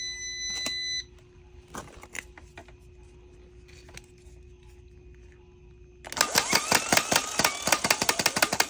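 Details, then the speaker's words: Starter from a 2020 Ram 3500 6.7L Cummins, with a one-click no-start, tested on the bench with constant 12 V jumper: quiet clicks then fast metallic clatter as the plunger pops in and out; bad or stuck solenoid suspected. "So it was popping in and out. Why is that? I think it's because the solenoid's bad."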